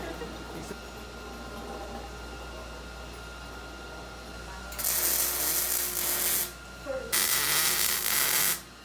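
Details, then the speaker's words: Steel welding demonstration in a fabrication shop: two bursts of steady, crisp frying crackle, described as the sizzling-bacon sound you want, from a clean, stable welding arc. "that's what you want the sound of sizzling bacon"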